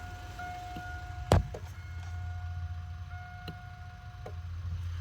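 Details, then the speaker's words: Mk3 Toyota Supra no-crank, no-start, security system connectors refitted and alarm deactivated, fuses fine: key-on warning chime with sharp single clicks and no cranking; constant clicking of unknown cause, starter never turns. "these fuses are fine like it's just clicking and I I don't know why but it's constantly consistently cck clicking"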